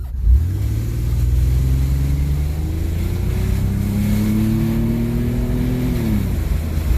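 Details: 1995 Chevy Blazer 4.3L CPI after new spider injector assembly and lines, fuel pressure 52 psi, wide open throttle test drive: tone climbing smoothly then dropping on upshift, staying rich; normal wide open throttle acceleration.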